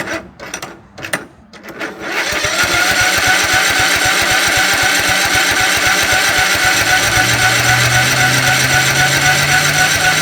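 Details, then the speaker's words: 2006 Cub Cadet LT1045 riding mower after fuel pump swap; after a few cranks it catches and settles into a fast, steady beat about four per second, staying high instead of dropping to idle. Throttle cable out of adjustment suspected. "It cranked up and then idled high again. So, I'm thinking maybe for some reason this cable is out of adjustment."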